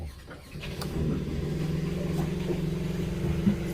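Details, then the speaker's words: Fischer Panda generator on a Grady White boat, started after a repair while waiting on parts, lowered into the water; cranks, fires and rises to a steady, even drone at 120 as it should, no hunting or surging; genset running properly. "make sure this thing revs up like it's supposed to oh it's already started perfect right to 120 like it should be"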